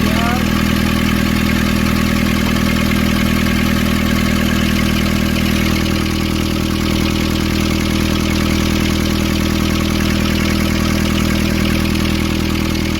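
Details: Nissan Urvan ZD30 diesel (possibly 2015) after a no-start repair in which a clogged, soot-filled part near a sensor was cleaned and refitted: steady, even clatter with a constant low drone, no misses or hunting; smooth healthy idle.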